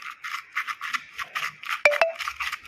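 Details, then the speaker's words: Old strut top mount with integrated rubber and bearing, removed and twisted by hand: dry, gritty, uneven scraping with a couple of sharp clicks from the worn bearing; may make steering feel heavier and cause underbody noise over small bumps. "これはトップゴムとベアリングがつながっている古いものですねこのようにして回転させましょう。色がとても渋いです。"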